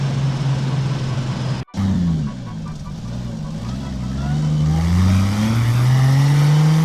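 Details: BMW E36 with a 2JZ six-cylinder turbo swap and new surge tank, test drive at 0.5 bar (7 psi) boost: deep note climbing smoothly through the revs, brief gap at a gear change, no misfire or stutter; healthy under boost.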